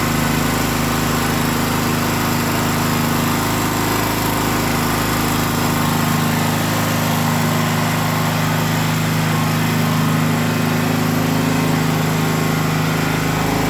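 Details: Small gasoline generator that started then shut off after 5 seconds, fixed by freeing a pinched fuel inlet hose: constant even single-cylinder drone at one steady pitch without surging or stumbling under governor; normal running.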